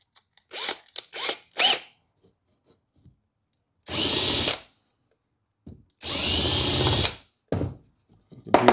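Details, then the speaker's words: Hand drill with an 82° single-flute countersink on a wood screw hole: short bursts, then even one-second runs with a steady whir and almost no chatter, giving a clean cut, unlike the chattering, shredding older bit. "was almost no chatter and you can see what a difference that made in the quality of the the cut"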